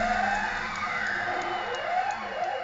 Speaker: By the way, this is what the spindle does when I get greedy and overload it.